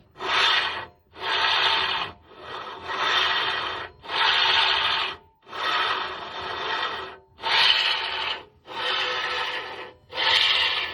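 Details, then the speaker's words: 2009 VW Passat CC 2.0 after driving through swamps: harsh rasping scrape in bursts about every second as the steering wheel is turned back and forth, coming from the right side of the steering rack toward the right tie rod end. "Ну вот, собственно, вот такой вот звук у меня у рулевой рейки после странных моих поездок по болотам."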